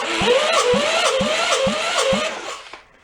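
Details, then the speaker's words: Air-cooled VW engine from a 1958 Beetle left underwater in a swamp for 30+ years, with compression a little over 90 on number three, about 40 on one, and a leaking exhaust valve on number four. No spark or fuel yet. Starter churns with even compression thumps, about three per second, but the engine never catches. "it feels like all of them do have a little bit of a compression to them and i think if we're able to get spark to them and fuel to them they should cough over and run"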